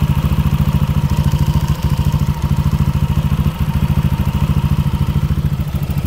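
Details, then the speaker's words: Yamaha Aerox scooter idling before teardown: a fast, steady ticking rattle of a few beats per second. The owner is sure the cylinder block is worn thin so the piston wobbles, and plans a replacement block. "kalau kalian dengar ada suara ngelitik ngericik e Gua yakin itu dari suara blok sehernya yang udah menipis jadi sehernya itu goyang-goyang e jadinya bunyi ngelitik kayak gitu"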